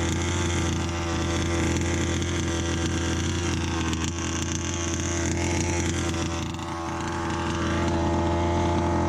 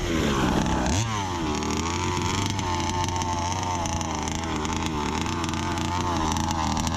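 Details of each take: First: Customer Baja 5B RC car two-stroke, new pull start, field test at full revs: high steady buzz with raspy edge at top end. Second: Brand-new Rofun Power 32cc two-stroke in a Baja 5B RC car, outdoor run: buzz rises and falls crisply with the throttle, no sag or bogging at the top, pulling very strong; normal revving.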